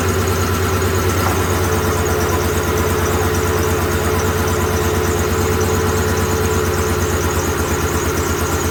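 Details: 2007 Ford F-150 4.6 V8 with a flashing MIL and P0302 idles with a lumpy rhythmic chuff, about three beats a second. Unplugging the number 2 injector made no difference, isolating the misfire to cylinder 2.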